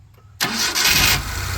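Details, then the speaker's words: Maruti Omni after engine teardown repair of knocking (suspected connecting rod) noise: quick self-start catches cleanly and settles to even idle, no more tapping knock. "कोई sound नहीं आ रहा है कोई sound नहीं आ रहा कटक टक कटक टक करता था सब बंद हो गया"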